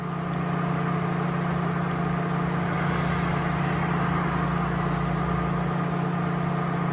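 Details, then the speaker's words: 2004 Mazda MPV LX, cold engine, key on only, code P0480 (cooling fan relay 1 control circuit): a loud, steady rushing hum as the cooling fan runs stuck on high speed. "as soon as I put the key on the fan kicked on at high speed and this vehicle is cold"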